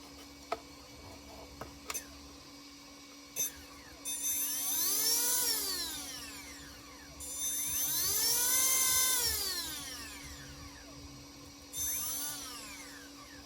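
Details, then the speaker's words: Castle 1650 brushless motor on custom 8S Infraction V2 RC car, after replacing suspect 8mm bullet connectors (losing signal) with Poseidon bullets: clean high whine sweeping up and down three times, no cutouts or stutter, runs properly. "So I sacrificed my Poseidon bullets. Put them on my 1650 castle. And let's see. Everything sounds good so far."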